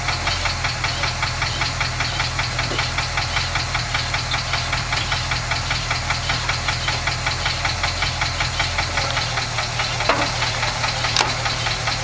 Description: 1967 IH pickup has a loud ticking sound when running that doesn't go away as the engine warms up.